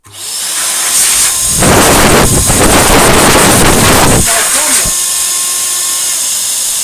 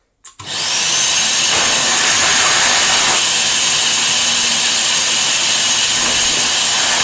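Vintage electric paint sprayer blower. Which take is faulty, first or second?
first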